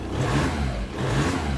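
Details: VW Caddy 1.9 SDi diesel, just reassembled after the ECU was removed over a no-throttle, limp-mode fault: picks up cleanly on the throttle, rising then settling, with a smooth even note and no hesitation.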